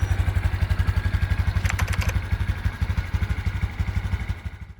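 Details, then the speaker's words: Honda Super Cub C125 after battery replacement, about 14,592 on the odometer, full of gas: quick, even putter at idle with a steady low beat and no knocks or misses; healthy idle. "but otherwise she's running good"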